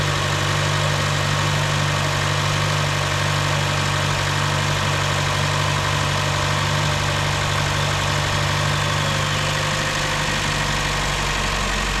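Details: 2015 Chevy Cruze 1.4L with a lean code, after the valve cover and intake manifold were replaced and codes cleared: a steady, even idle with a smooth low rumble and no misfire. Fuel trim is now near zero.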